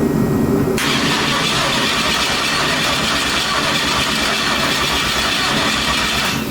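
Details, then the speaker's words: Twin-turbo Chevy Nova, new fuel pump and crank trigger just set up, after weeks of work: loud continuous starter grind for several seconds, never catching; crank no start. "Alright, after weeks of fucking with this car, let's see if it'll actually start. Come on. Still no start right now. Doesn't mean much."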